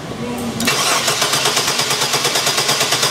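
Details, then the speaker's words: 1997 Chevy Blazer 4.3L Vortec with GM CPI poppet injection, good spark, fires on propane: starter cranks at about three beats a second but never catches; fuel pressure only about 35–42 psi, below the 50 psi needed; crank no start. "Okay, good. All right. You see our fuel pressure was around 35 cranking about 42 right now."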